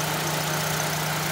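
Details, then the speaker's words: 2005 Mitsubishi Global Lancer after wrapping the A/C low-pressure line in insulation and removing a fan: restarted with A/C on, a steady, even idle hum with no knocks or surging, idling normally. "好，发动一下，看正不正常。这刚刚有拆风扇，看一下风扇会不会动。开一下冷气，重新发动，看一下正不正常。"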